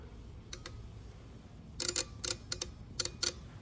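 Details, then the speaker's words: LS Gen 3 (99-02) engine with reworked standalone harness, 4L60E and stock fuse block, bench test on a battery with the neutral safety switch jumped: crisp paired starter circuit clicks when the crank wire is energized, confirming correct wiring. "All good. Now that we're 100% certain that everything is wired up correctly, I'm going to start looming this after I repair these wires."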